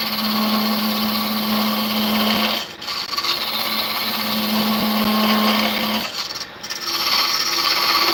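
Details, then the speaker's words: Wood lathe, cutting deep beyond the tool rest's working range: steady low hum under a rough scraping cut that rattles unevenly in bursts; tool chatter. "you hear it chattering it's because I think I'm beyond what my working places and I don't want that"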